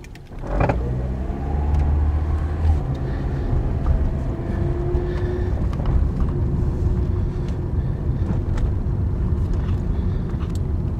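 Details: 2009 Toyota Corolla, 189k miles, CV joint replaced a year earlier, driving with the AC off: sharp single clunks and light knocks from underneath over road noise when starting and stopping. Owner suspects a bad sway bar link and replaces it with a Delphi TC1455.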